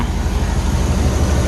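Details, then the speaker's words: Chevy El Camino G-body with LS swap and Holley EFI, warmed up, after replacing the O2 sensor to fix the air-fuel reading: deep, steady exhaust rumble holds firm under throttle without stumbling or dying out; healthy rev response. "there we have it i think i figured out the problem it was just that that sensor so give it gas now it's not dying out"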